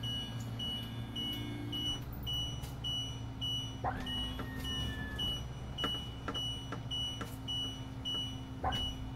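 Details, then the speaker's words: 2020 Winnebago Vista 31BE after auto-leveling reaches level (green light): short high-pitched beeps about every half second over a low hum, warning that the leveling jacks are still down so the RV must not be driven off. "you see the green is is level and the jacks and you hear the beeping that's let you know that you can't just drive off because the jack is on"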